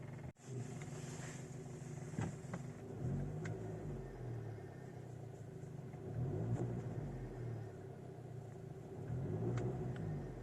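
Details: 2006 VW Golf V GTI at idle: uneven rumble with irregular light knocks and rattles every second or two from lower right of engine; fuel line knocking against chassis due to engine unbalance.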